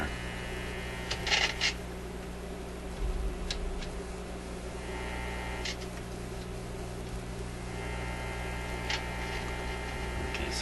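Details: Zenith Y825 vacuum tube AM/FM radio, shelved after working 6 months earlier, on 122 volts supply, input switch found set to phono. Steady low hum and buzz, control clicks, no station on AM or FM; cause not yet found.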